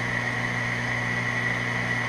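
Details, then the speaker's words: Small 208/230 VAC three-phase gearmotor run on 230 V single-phase supply, probably 60:1 or 80:1 reducer, motor probably near 200 rpm, at full load: even, steady hum with constant high whine, no knocks, surges or rattles; normal running. "I believe it the motor is running at full load and filthy and"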